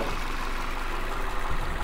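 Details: 2016 Ford Transit Connect XL cargo van, four-cylinder engine at idle: steady smooth low hum with even firing rhythm, no knocks, ticks or misses; normal healthy idle.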